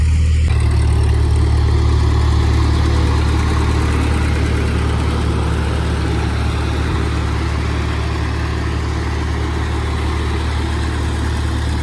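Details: 1948 Ford 8N tractor on a test drive after rebuild: steady, even low rumble with a smooth regular beat, no knocks or misses; normal running.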